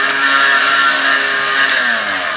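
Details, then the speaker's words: Warn VR8000 winch after build, under test: steady motor whine with gear tones, punctuated by two sharp clicks as the brake lever turns and locks; normal winch brake clicking. "noise you hear is, remember how that one brake lever was this way, and then that other piece that's turning it, and it's click, and when it turns it and locks them together."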